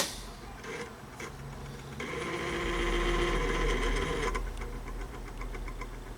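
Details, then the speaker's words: RCA Victor C-3E AM clock radio after work on the clock mechanism: rough mechanical buzz with fast, even chatter of about four beats a second at startup; the clock motor is worn, and noise remains after the work. "she starts off a little noisy she got a little wear in it"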